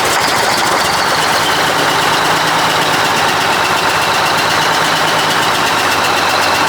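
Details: 1980 Mack FR700 diesel truck idling after restart, following an attempted oil leak fix and first start in 10+ years: loud, steady, even clatter with no surges or knocks.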